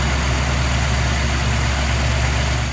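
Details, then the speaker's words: 1997 Mercury Mountaineer 5.0L V8, after lubricating the worn, dry camshaft synchronizer bushing that caused a belt-area chirp: smooth, even idle, quiet, with no chirp or squeal. "all right let's start it up and see how she sounds nice and quiet cheap and easy"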